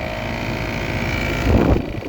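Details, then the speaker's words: 2021 3-ton Trane XR14 heat pump in heat mode, 33°F, cloudy, 85% humidity, outdoor unit frozen up: loud, uneven droning hum with a rough churning undertone; compressor sounds bad, cause unclear. "and sounds like crap 2021 three ton that does not sound good at all fairly nice unit though not sure what could be wrong with it"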